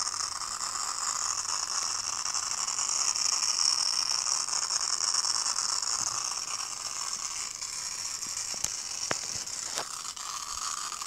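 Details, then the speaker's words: An Asus tablet or computer that will not power on gives an irregular, dry mechanical ratcheting chatter over a hiss from inside the unit, with no fan or drive spinning up; mechanical fault, cause unclear. "No enciende. Simplemente está haciendo ese ruido raro."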